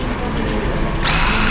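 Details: Mi portable electric air compressor after repair (O-ring replaced) for no-air problem: sharp buzzing motor hum cuts in and holds steady with a high whine on top; compressor now running and pumping air normally.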